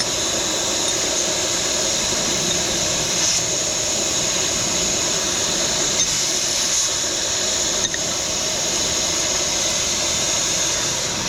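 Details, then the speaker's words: Semi truck drive tire, installing the tire equalizer hose on the valve between the duals before tightening: a steady, high hiss with no engine running, a small leak at the valve during fitting. "Now it's time to tighten it. It's leaking air if you can hear it. I need to hold the hose."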